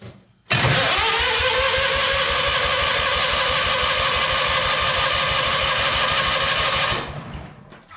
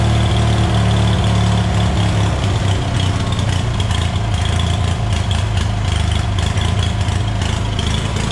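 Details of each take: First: Hobart welder generator engine from a scrap yard, unused for years, on jump box: steady quick cranking for about six seconds with no catch; dry carburettor starving it of fuel, fuel dribbled in next. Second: Hobart welder generator from a scrap yard, unused for years, after removing a stray bolt from the fan shroud: steady, even low drone with no rattle or knock, running only with choke half out, indicating a clogged carburetor main jet.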